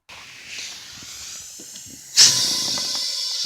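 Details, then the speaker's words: Small pneumatic tire that had fallen off the rim, inflated using a ratcheting tie-down strap, regulator set equal to tank pressure (about 90 psi): soft air hiss, then a sudden loud rush as the bead snaps onto the rim and seats. "I don't know if you could tell, but you could hear the tire seat against the rim. Looks like it's nice and tight on that side"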